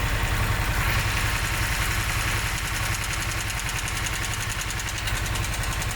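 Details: Harley-Davidson Sportster S, about 5 months old, idling for a while: lumpy V-twin idle with a steady light tick of two to three per second riding over the thump; ticking/knocking at idle, cause unknown.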